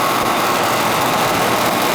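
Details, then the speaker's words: Outdoor AC condensing unit, after fitting a new Rescue fan motor with reversed leads and a new capacitor: steady, even rush of air with a constant fan hum and no knocks or scraping; the fan is blowing out correctly and running normally. "Blowing out. That's what we want. We want it blown out. That's what we got. It's a rescue motor."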